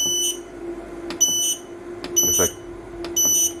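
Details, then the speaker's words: Growatt SPF 3000TL LVM 24 V inverter switching to AC charging (charger reading 30 A, combined limit 50 A, battery about 27.1 V): short shrill buzzer beeps about once a second in a quiet room. "you can hear that the inverter is now switching over and charging on the ac charger"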